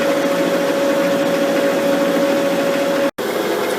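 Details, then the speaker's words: Final lathe cut on a slender lapping arbor turned between centres with a shear tool of almost no nose radius, revs dropped to 160 RPM to control vibration: steady even cutting hiss, clean tone near 600 Hz, no squeal; smooth cut without chatter. "Just doing our last cut now with the shear tool. Everything's going okay, we've got the vibration under control. It's giving quite a good finish, but we had to drop our revs down to 160 RPM."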